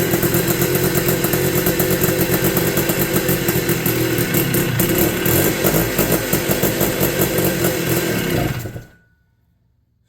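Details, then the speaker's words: 1983 Honda ATC 250R two-stroke, first run after new piston and rings, no carb leaks: ragged, uneven burble that stumbles and cuts out, running rough; owner suspects fuel starvation from too little fuel in the tank. "sounds like it's not getting fuel maybe I am just too low on fuel"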